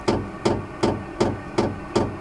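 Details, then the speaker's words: Vevor 12 V 5 kW diesel heater started by remote: sharp, even fuel pump ticks about three per second before combustion begins, showing normal fuel metering at startup. "hear that ticking that's that fuel pump starting to Pump Fuel into it hopefully it'll start combusting here soon"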